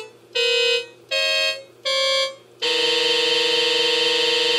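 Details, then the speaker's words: Oberheim OB-SX voice card that came disabled by DIP switch, after voice card and power supply service, not yet calibrated: voices played in turn hold clean tones but one is off; unstable voice. "I haven't calibrated the voice cards or anything yet but I can tell we're still having a problem with this voice card - which was disabled when I got the synth"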